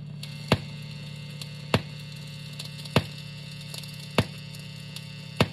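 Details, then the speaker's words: Electric guitar into Fender Deluxe Reverb on 10, strings muted, phone about a foot from amp: steady low buzz with sharp pops and crackling, ground noise not 60 cycle hum, disappears when touching the bridge; house wiring noisy. "ground noise not 60 cycle hum now buzzing the popping crackling it's going to go away whenever i touch the bridge"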